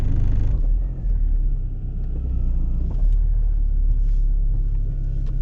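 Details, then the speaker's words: MK4 Golf backing out of the driveway after new rear springs, bump stops and brake lines: only a low, steady engine rumble, with no squeak or moan from the rear. The suspension is normal and quiet. "silence wonderful so i will call that a success"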